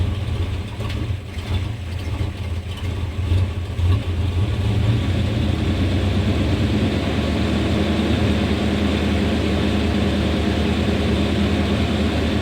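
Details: 1991 Chevrolet Suburban V2500 4x4, 5.7L 350 V8, after new distributor cap, rotor, ignition module, plug wires and fuel filter: low idle stumbles and sags unevenly, then steadies, lacking power and stalling in gear; misfire traced to faulty ignition coil.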